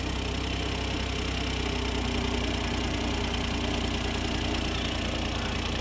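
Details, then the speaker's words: 2008 Smart Car three-cylinder idling its first minute or so right after an oil change (just under a quart added): even, steady, stable low idle with no knocking. Sounds good. "All right, we started her up, running it. Let it run for a minute or so. Sounds good."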